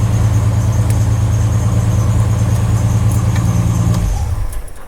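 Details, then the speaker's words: Jeep Wrangler 4.2L six after Motorcraft 2150 carburetor install and ignition timing correction: starts on first crank, steady even idle and revs with a smooth regular pulse and clean drop-off, no misfire; no longer dumping raw fuel or smoking. "first crank started right up now I know I have a belts wheel they used to smoke a lot smell anymore it's not dumping raw fuel like it used to"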